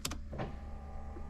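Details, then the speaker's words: 1999 Corvette C5 at 85,338 miles, damaged and tampered with, on low voltage: short headlight-motor whirs cut in and out over a steady low hum. The motors cycle on and off but the pop-up headlights do not rise. "you can hear our headlight Motors turning on and off but I don't see them actuating"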